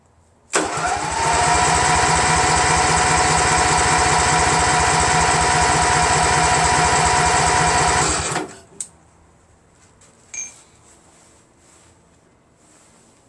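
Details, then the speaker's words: Craftsman GT6000 garden tractor repowered with Briggs & Stratton Vanguard 16HP horizontal-shaft engine, first start attempt; about eight seconds of even starter cranking near four beats a second, never catches; crank no start, no fuel output. "so I'm gonna crank it and see I'm gonna take a while for it to get any fuel of course you dope so yeah I'm gonna fly I don't even know if it's getting any gas"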